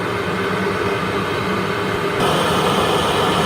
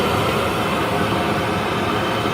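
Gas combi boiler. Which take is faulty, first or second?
first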